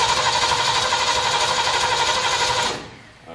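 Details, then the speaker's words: Ford 351 Windsor V8 in a Ford F100 rat truck, first start attempt with mechanical fuel pump: steady fast crank about four beats a second for nearly three seconds, never catches; no spark suspected; cranks but no start. "no fire i think we got a fire problem yeah"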